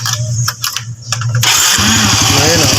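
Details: Honda Wave 100 after recent top overhaul, with knocking traced to a loose 17 mm magneto nut and tensioner replaced: after the fix the engine starts after handling noise and settles into a steady, even beat with no clatter or knock.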